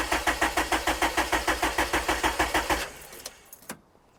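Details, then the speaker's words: K24-swapped Honda Civic with the cam sensor and top-dead-centre sensor unplugged: steady starter cranking about three beats a second for nearly three seconds, never catching; no-start because the sensors are disconnected. "Oh, you've dis you've disconnected all them [ __ ] things, you mad man. What's them for? Cam sensor. Top dead sensor."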